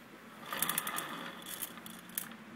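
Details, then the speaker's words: Suzuki Burgman 650 with clutch removed, rear wheel propped and spun by hand: intermittent bursts of light metallic rattling from inside the CVT/final-drive case; clutch seems fine, cause unknown. "so if you listen to it carefully there's there's something rattling around in there and i don't know exactly what it is"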